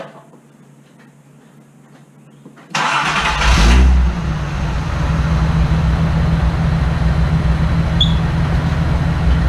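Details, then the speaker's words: Datsun rally car, before muffler delete: engine revs then coarse spitting rasp from exhaust leaking at the back; ticking also noted up top, valves to be checked. "so it's spitting some exhaust out back there, and it's just making it sound really nasty."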